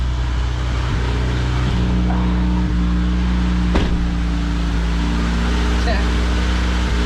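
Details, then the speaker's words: High-mileage 1992 Honda Accord CB9 wagon, fully reassembled and now running on all four cylinders, coolant topped up, heat cycle before an oil drain; smooth, even low idle with a steady hum, no misses or ticks. Normal idle. "I gotta give it a heat cycle so just listen to that baby purr now lights are on or anything"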